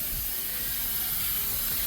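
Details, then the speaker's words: Ferrari parked 15 minutes after driving, overheating with a large coolant puddle: loud steady hiss over a faint engine beat as coolant vents as steam from the front of the engine. "the steaming sound does not sound great it's just venting from somewhere in front of the engine"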